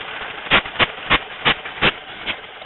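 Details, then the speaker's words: 1908/1909 Chase truck engine running, brass priming cups on the cylinders opened (used to add gasoline when cold): sharp hissing puffs about three a second over a slow engine; priming cup hiss with cups open. "you could put a shot of gasoline in these little cups, and you would open them up. You're going to hear them hiss."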